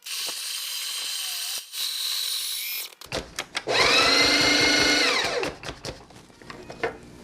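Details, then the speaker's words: Breville/Sage Barista Express grinding at setting 1, the finest or near-finest possible: high, strained whirring grind, harsher than normal, as the burrs almost touch each other; produces super fine grounds for a 6-bar turbo shot. "you might have noticed that sound the the birds almost touching each other making that funny noise so obviously the grinds are super fine this time"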